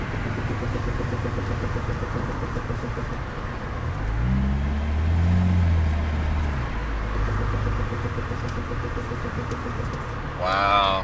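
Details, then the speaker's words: 2006 Saab 9-3 2.0T, long unstarted: a low droning groan swells for a couple of seconds from the right front brake as soon as the brake is tapped, then fades; brake noise when braking. "this right front tire man as soon as as soon as I tap on the brake I don't know if you can hear it but listen"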